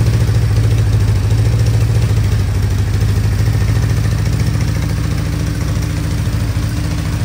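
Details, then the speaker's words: 1975 Honda CB550 four, after sitting roughly 20 years; low, lumpy idle with uneven beat, dropped pulse; one cylinder misfiring, has spark but not getting fuel, maybe jet too small, cause not yet found. "now why is a cylinder misfiring while we check the spark has spark and it's not getting fuel"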